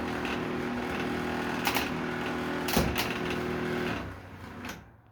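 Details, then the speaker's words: Milwaukee M18 fan with new power cord, running: steady motor hum with quick uneven rattling clatter about four per second; fan bearings suspected to be going out. "Maybe these fans' bearings going out, I guess."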